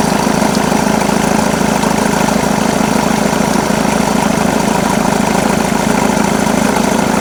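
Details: Jaguar X-Type 2.2 diesel (QJBA, 155 hp, 2005–2010) idling with A/C on: steady low drone and an even pulse around 200 a minute; extra engine noise when A/C on, cause undetermined.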